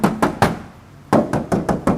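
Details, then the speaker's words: Daihatsu Taft hardtop 4x4 body, original factory panels; crisp ringing knocks from taps across the panel with no dull thuds; solid original steel, no filler. "Oke, jadi gosong utuh. kaleng semua."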